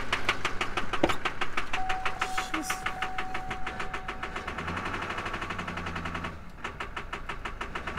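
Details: 2003 GMC with LB7 Duramax diesel at morning start after a 150-mile trip: hard regular knock about three times a second over diesel clatter, persisting when revved, heavy black smoke; stuck-open injector, fixed by new injectors.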